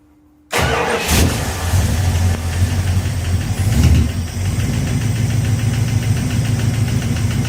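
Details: 1969 Plymouth Fury III V8, first start after rear main seal replacement, noise at the front of the engine; the part being checked is out about a quarter. It settles into a lumpy idle with a faint light rub, the harmonic balancer shield rubbing the timing cover.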